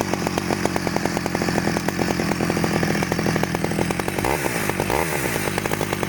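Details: 1991 Stihl 009L chainsaw after rebuild: crisp, even two-stroke firing at a steady fast beat, briefly bogging then clearing; runs smoothly and healthy.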